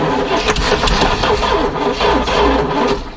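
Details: 1973 GMC motorhome engine, long unused, cranked with starting fluid in the carb: uneven cranking chugs that briefly catch and fire, then sag again; hard start after long storage, cause not confirmed.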